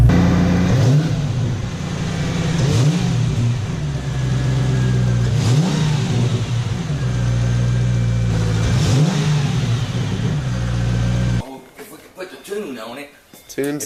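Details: Mercedes-Benz AMG SL55 supercharged, after installing a 77mm blower pulley: smooth idle with several clean blips rising and falling crisply, no hesitation or odd noises; healthy.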